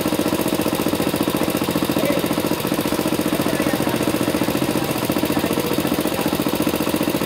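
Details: Engine with faults: hard, rapid jackhammer-like knocking about three per second over the idle; loud engine knock, cause undetermined.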